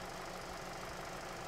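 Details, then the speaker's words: 2017 Hyundai Sonata with stored P0304 code, at idle: low, slightly uneven idle with faint irregular knocking; misfire worsening under load, secondary ignition pattern poor on cylinder 4, spark plugs suspected. "if i start this up we do have a misfire right now and it definitely increases under load i'll tell you ahead of time i'm almost 100 sure sport plug's going to take care of us because i've done this before"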